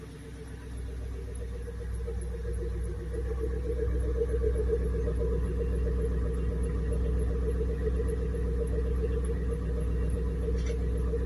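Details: Rover ZT 260 V8 running: steady low rumble with a constant mid-pitched squeal riding over it that never changes; source not yet identified.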